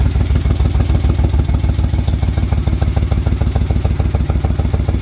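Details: Warm rebuilt 1971 Moto Guzzi Ambassador 750 twin (Nikasil-plated original cylinders, new rings, rebuilt distributor) just run after an oil change, started on enrichers/choke; quick, even thumping idle with deep rumble, no stumbling: normal idle.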